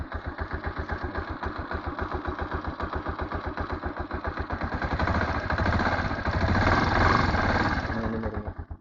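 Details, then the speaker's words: TMX single-cylinder motorcycle at 59,173 on the odometer, after setting valve clearance to 0.06 mm on both valves: an even idle of about 220 beats a minute with only a light valve tick left, much reduced from before. "idle nakagitna binabaan ko lang syempre may lagipik 'yan pero hindi na siya kagaya nung dati sobrang lag"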